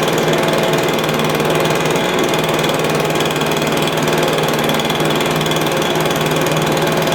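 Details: Stihl BR350 blower, formerly backfiring out the carburetor, after fitting the correct ignition coil to fix timing (knockoff coil was wrong); steady high two-stroke buzz at constant speed, no pops or intake spitting; runs cleanly.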